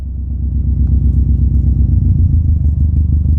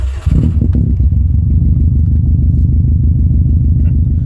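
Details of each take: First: we've added so much fuel that the engine can no longer run and it is stalled out we were so rich that it just couldn't keep going Second: 2005 Subaru WRX at idle, steady even low idle with smooth regular beat, no knocks or misses; AFR sensor reads about 14.7 stoichiometric; healthy normal idle.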